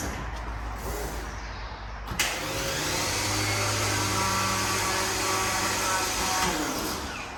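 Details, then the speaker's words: VW Mk1 Cabriolet with VR6 swap: steady electric whir about four seconds, no cranking or firing; starter engaging but not turning the engine, blamed on a wrong battery with too-low cold cranking amps. "when I went to crank it this the slaughter was kicking in but it wasn't cranking the engine over"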